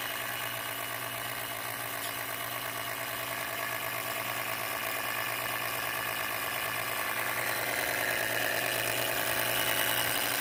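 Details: MSI PE60 6QE gaming laptop: steady airy rush with faint hum slowly growing louder; cooling fan annoyingly loud, cause unclear, unrepaired.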